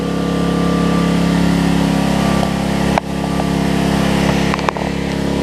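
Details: Homelite LR4400 generator after carburetor and kill switch replacement, primed: steady, even drone that changes tune as the speed is backed off, then runs smoothly; normal running.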